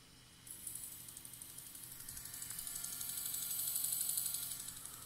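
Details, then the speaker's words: Tascam 244 cassette transport running: fast, even scraping ticks, about four a second, over a hissy whir; the capstan flywheel's top surface rubs the brass plate, from too much leeway or a warped plate. "if that's too loose then what what can start to happen the top surface of this flywheel will touch that brass plate"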